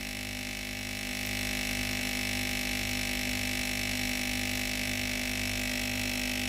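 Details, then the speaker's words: Philips GC9682 steam iron, no steam: the boiler is hot and the water pump buzzes steadily, but no water reaches the boiler. The pump cannot draw from the tank; the pump and water valve were replaced. "เราได้ยินเสียงในส่วนของตัวปั๊มน้ำทำงานแล้วนะครับแต่สังเกตนะครับไม่มีน้ำออกมาในส่วนของตัวหม้อต้มเลยนะครับก็แสดงว่าปั๊มไม่สามารถสูบน้ำจากแทงน้ำเข้ามาในส่วนของตัวหม้อต้มเพื่อต้มให้เกิดเป็นไอน้ำได้นะ"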